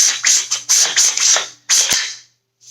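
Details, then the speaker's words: SPR/DMR rifle build with a budget kit buffer tube, the buffer swapped for an H2: a harsh metallic shing back and forth with each pull of the charging handle. The buffer spring scrapes a little ridge inside the tube. "only down side to this tube is there's a rig on the inside like a little Ridge and when you charge it you'll hear this like Shing back and forth"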